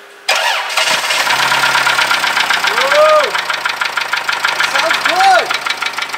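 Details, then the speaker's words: 1995 Toyota Camry four-cylinder, engine locked up running without oil then cheaply bearing-repaired, first start after cranking; rough pulsing idle with dull rhythmic knock underneath. Rod knock. "i'm going to drive it see how many more miles we can get out of it until that rod not gets really bad"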